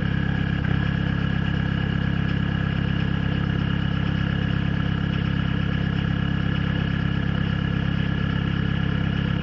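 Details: Peugeot/Citroën XUD diesel idling cold with a rough, slightly uneven beat: a misfire from a faulty glow plug and a weak battery. The misfire stops once the engine reaches temperature; replacing the battery fixed it.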